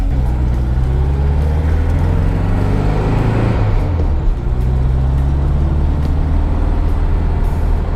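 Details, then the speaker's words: 1965 VW Beetle air-cooled flat-four, 55,000 original miles, now 1500 after partial rebuild with new pistons, rings and honed cylinders, weak cylinder fixed: strong, steady low drone with a brief pitch dip as speed changes, no knocks or misses: normal running. "It's a really nice running motor now. Now it's a 1500."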